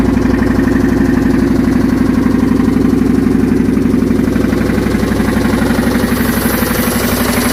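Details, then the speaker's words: 1990 Chevy Silverado OBS engine, about 7,000 miles, knocking and losing power, possibly after low oil, owner suspects failed oil pump: steady fast loud knock about four per second through idle; deep bottom-end knock, cause unconfirmed. "Haven't driven in a while, and I think my oil pump went out, and maybe I was running low on oil for some reason, and the truck started knocking, losing power and everything."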